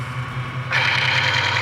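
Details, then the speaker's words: Chain on a load-test machine with metal filings, two-pound weights added, after spraying chain conditioner: low drive hum then harsh metallic grinding rasp under load, expected to smooth out; contaminated chain. "and you can hear that metal grinding but it's going to smoothen out again"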